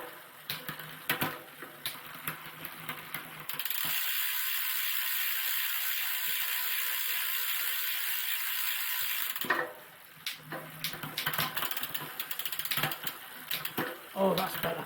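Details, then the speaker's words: Planet X TT bike being recommissioned, gears set up after a frame recolour: quick freewheel ticking and chain clicks with crisp, instant shifts and no grinding or skipping; derailleur indexing well adjusted. "see by the way just jumps instantly not that that noise is the uh the freewheel now caught it back up again"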